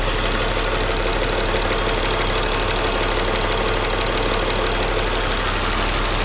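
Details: BMW M54 325 cold idle: uneven, lumpy beat stumbling about twice a second under steady engine noise. Misfire logged in cylinders 3 and 5, sometimes 4. Crankcase valve, plugs, coils and fuel filter replaced, injectors cleaned. Stops once warm past the blue temperature zone. Cause unconfirmed.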